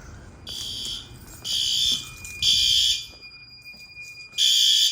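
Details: Fire alarm test in a house and garage during November testing: loud high-pitched alarm blasts about a second long with short gaps, repeating steadily over a quiet room; the alarm sounds properly.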